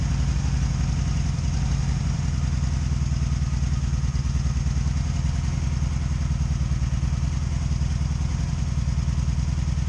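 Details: 2002 Honda Magna VF750C during rebuild, plugs gapped to spec, one rear plug dry: low lumpy stumbling idle with popcorn popping on one side, one cylinder cold; misfire, cause not confirmed.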